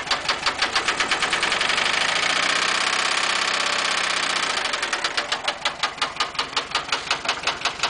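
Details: VW air-cooled 1200 40hp engine running near idle: sharp, regular metallic knocking about three per second, suspected rod knock, not confirmed; engine otherwise seems to idle fine.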